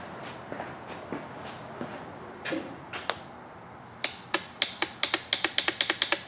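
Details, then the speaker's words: KTM 300 dirt bike whose starter won't work, wires touched together to test: sharp, dry clicks that come quicker and quicker show the starter solenoid is working. The next step is checking for 12 volts at the starter. "right we're on the right path hear that clicking means the solenoid's working we're making progress"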